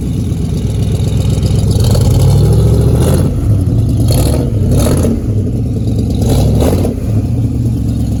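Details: Ford Model A sedan hot rod with hand-made stainless headers and exhaust, first fire-up on gas poured in carb, fuel system not fully hooked up: rough, lumpy but fairly even low rumble with throttle blips; normal idle.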